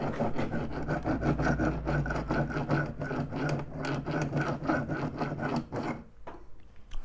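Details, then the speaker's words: Sherco engine with clutch removed, crankshaft turned by hand: coarse, uneven rasping grind about three times a second. Suspected head gasket failure let water (used instead of coolant) into the crankcase, damaging bottom-end bearings; engine to be opened to check. "mais en fait je pense que ça a vraiment attaqué les roulements et du coup regarder le bruit que ça fait"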